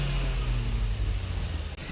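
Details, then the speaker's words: Maruti Suzuki Ertiga petrol engine with aftermarket CNG, at idle: rough lumpy idle, cylinders 1 and 2 dead, running on 3 and 4 only; removing plug sockets made no difference. "मतलब एक और दो number बिल्कुल बंद ही हालत में है तीन और चार पे ही बिल्कुल चल रहा है इंजन"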